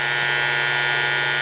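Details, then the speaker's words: Induction heater melting a steel slug: after the relay pulls in, a steady low hum under a constant high hiss, no change or crackle; edges melt around 16 seconds before the thermocouple controller cuts out; normal operation. "when you hear the relay pull in that means the unit is energized and there we are we're at 51 or 52"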